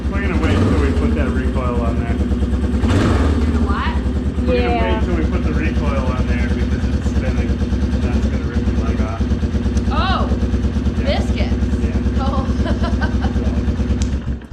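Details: Yamaha Big Bear 350 ATV after front brake repair; single-cylinder putt at steady beat, no knocks or misses: normal running.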